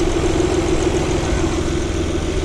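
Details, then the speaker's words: Saturn L300 (2000), 3.0 L V6, after timing belt job, running briefly with the accessory belt removed to isolate a noise: steady even idle, low hum, no whine, chirp or rattle; noise suspected from power steering pulley or belt slipping on crank pulley. "no noise huh not making any noise at all"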